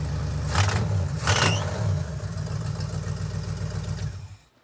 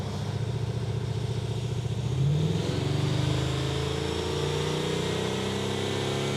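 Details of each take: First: 1970 or 71 Camaro V8 after a new HEI distributor was fitted; loud running with a sharp puffing tick following the firing, rising with each blip, a bad exhaust leak; oil also pouring from the intake manifold rear. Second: 1970 or 71 Camaro after ignition timing set to 40; revs up cleanly, pitch climbing and holding before dropping back, crisp at part throttle and already running better.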